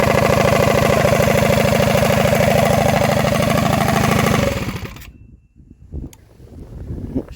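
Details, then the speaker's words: 236cc stroker Predator 212-based Motovox mini bike with DED billet head, freshly finished, fired up not too hot for a shakedown run: crisp, even firing at a strong steady pace, then a clean shutdown, no knocks or misfires; running healthy. "It's running pretty good for a shakedown run."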